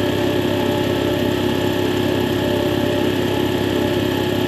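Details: Air compressor test run after replacing faulty check valve that caused air leaking from unloader; loud even mechanical drone with steady pulse, no hiss or stumble, pumping cleanly with no leak.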